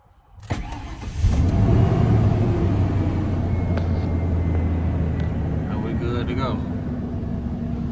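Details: Ford F-150 after fuel pump replacement (old pump failed, truck chugged and died at a light), codes erased. Brief crank catches cleanly, then a smooth, even low idle with no misses or knocks; the engine starts and runs healthy.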